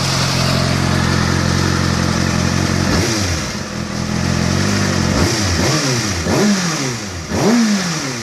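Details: Kawasaki ZX-6R inline-four, fully warmed up, idling then blipped, with a light fast tick riding over the engine that rises with revs; the source of the ticking isn't clear.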